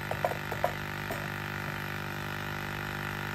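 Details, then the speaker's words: 1999-2007 Ford Super Duty F250-F550 (7.3 or 6.0 Power Stroke) with defrost-only airflow and inoperative 4WD hubs: vacuum pump hums continuously with a few early clicks and never cuts off at about 15. Vacuum leak suspected in the canister or hose; a slit was found in the line. "it should come somewhere close to 15 pounds it should start shattering here any minutes because it should cut off at 15 yeah so it's sitting there trying to cut off so now we either have a leak in our canister or we have a leak in our hose"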